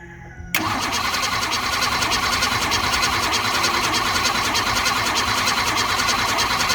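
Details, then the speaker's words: 1960s Ford Falcon garage queen being revived, gas pumped: starter spins the engine at about three cranks per second but it never fires; compression present (air pushing out); cranks but will not start. "i thought i heard it start to fire earlier didn't you didn't you i don't know man definitely has compression it was pushing out air"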